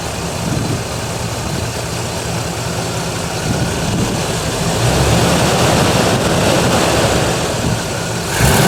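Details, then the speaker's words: Bluick idling as it warms, thermostat not yet open and temperature gauge rising slightly: steady, even idle with a slight lift midway, no misses or knocks; alternator bearings noted as noisy; normal warm idle. "the thermostat has not opened yet but the gauge has gone up slightly oh yeah there you go now she's happy"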